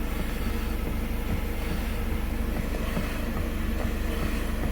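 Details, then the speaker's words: 2017 Jeep Patriot, six-speed automatic, on a lift idling in gear, heard at the right rear hub after another shop fitted a new axle and hub bearings: a rhythmic clacking thump about three times a second while the differential visibly moves. Misadjusted toe drags the wheel, binding the CV axle. "you hear the noise and you can see that's a new hub bearing you can see the back of it and you can see the new axle but check this out see the movement of the differential"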